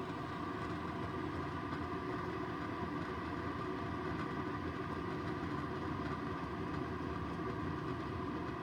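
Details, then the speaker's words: Keurig K-Cafe coffee maker after brewing: steady even rushing rumble of internal water tank heating/boiling, no knocks or clicks; normal, frother waits until heating finishes since both can't run at once. "But now that water tank's heating up. So you hear that water boiling."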